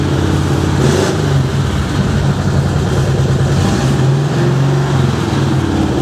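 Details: 1970s VW custom trike, start after fixing a flooded carburetor and refitting the carb, accelerator pump primed, low battery: engine catches, revs up and settles with an even, throaty beat; normal running.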